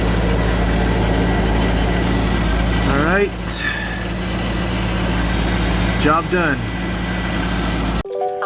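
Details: Mercedes W202 C36 AMG engine starts after a new fuel filter and fuel pressure regulator are fitted and the key is primed. It catches and settles into a steady, even idle with a low hum and no misses or stumbles. Runs fine.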